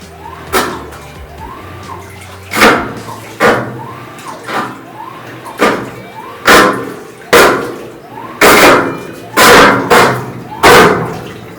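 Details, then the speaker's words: GE top-load washer, filled, during agitation: loud, harsh grinding bursts on each stroke over sloshing water. The cabinet sits too low at the front. "okay so anyway you get the ideas very loud grinding sound very very annoying"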